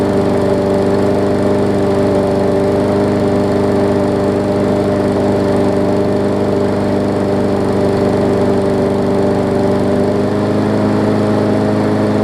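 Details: Newer Murray push mower, after stretching and cutting the spring: single-cylinder engine holds a steady, even buzz at constant speed with no hunting or surging, normal running speed.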